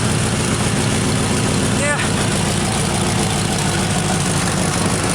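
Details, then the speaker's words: 1986 Camaro IROC-Z idling with the exhaust pipe broken where the Y-pipe forks, partway through the welded repair. A loud idle with a raspy puffing hiss from underneath is quieter than before but the leak is still there: exhaust leak. "so yeah you can hear a bit of the exhaust leak a lot but it's it's coming along sounds much better it's not as noticeable"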